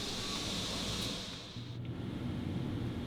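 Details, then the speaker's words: Rooftop RV air conditioner with the A/C silencer fitted ("after"): steady even hum under a soft airy hiss, no rattles or knocks, much quieter in person than before though dB readings differ little; normal running. "That's a lot of difference. So much quieter. The dB levels doesn't show a ton of difference, but actually in person, it's so much quieter."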